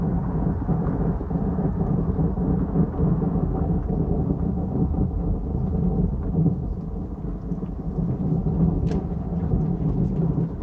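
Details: 2015 Jeep Cherokee Trailhawk days after dealership PTU replacement: deep rough grinding rumble while rolling slowly around a corner; another dealership found the rear driveshaft had not been reattached.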